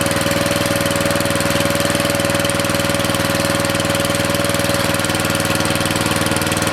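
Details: Briggs & Stratton 13.5 cast-iron-sleeve riding mower engine on bench, rerun with air filter back on after suspected oil in cylinder from engine tilted on its side; steady even beat about four pulses a second, no misses, smoke decreasing; good running.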